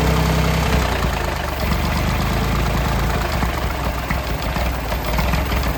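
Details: Late-1960s/early-1970s Massey Ferguson 2200 forklift, Perkins 3-cylinder gas engine, first start after about 23 years abandoned: runs fairly evenly but stays at a fast idle and won't drop back, choke partly closed; throttle not idling down, cause unknown. High idle.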